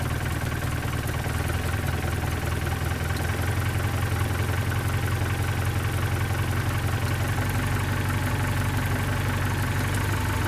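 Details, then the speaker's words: 1972 Datsun 510, carbureted L20B engine, idling steady and even with no dips or hunting after the idle was adjusted and a large vacuum leak at the carburetor base was found; smooth, stable normal idle. "7:53 it's very stable now that I got that done"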